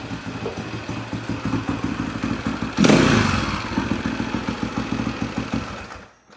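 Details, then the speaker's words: 1991 Husaberg 350 single-cylinder dirt bike idling evenly, adjustment barely touched, while carb cleaner is sprayed around the intake boot; spray hiss brings no change in idle, so no intake air leak. "That'll tell us if there's still an air leak. No changing the idle. No changing the idle."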